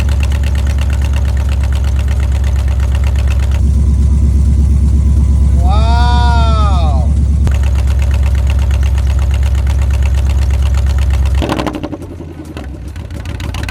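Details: Chrysler 300C 5.7 Hemi with long tube headers, after replacing missing driver's-side header bolts that caused clunking: deep, even V8 burble, no clunk or tick; normal idle, fixed.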